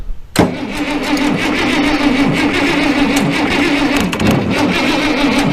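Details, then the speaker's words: International Harvester 1086 diesel, fire-damaged and sitting for years, jumped from an Excursion: catches right away and settles into a steady, even idle clatter with no misfire or knock. A hydraulic oil leak appears at the rear. "Oh, we got a leaker back there. Oh, that thing sounds pretty nice."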